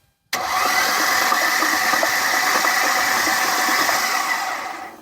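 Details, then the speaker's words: 2004 Mercedes-Benz C320 Sport Coupe: dull, sluggish cranking for about five seconds without catching; owner suspects a weak battery. "It sounds a little weak, but that's probably just my battery."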